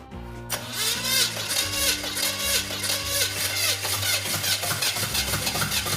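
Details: Model A engine catches and runs ragged, popping and stumbling with no steady beat, though the timing is fully advanced. It doesn't suck enough air to blow out a fire; sticking valves are suspected before a compression test.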